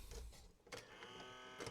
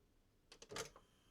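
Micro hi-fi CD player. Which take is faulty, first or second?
first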